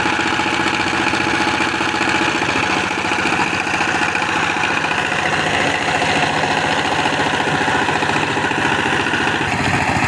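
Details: Single-cylinder power tiller diesel after replacing the injector nozzle, spring and nozzle pin to fix a "tes tes" noise and no load pickup: even, steady chug with no knocks or misses; normal idle after repair.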